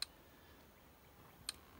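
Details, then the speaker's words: Solar-powered Parmak Magnum electric fence charger on a bee yard fence, pulsing normally: sharp single ticks about every second and a half in a quiet background. "but yeah that's uh that ticking when it's pulsing that's not a good uh wouldn't have a good day if you grab onto that"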